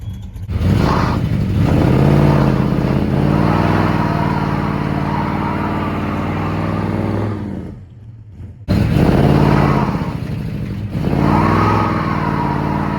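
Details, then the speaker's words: 1976 Dodge Dart 340 with Edelbrock carburetor, stuttering since a one-wheel burnout, owner first suspecting fuel supply: revs rise unevenly, fall flat and cut out briefly mid-pull, then pick up; stumble under acceleration from a blocked vacuum port. "oh whoopsie yeah it's just not happy not at all"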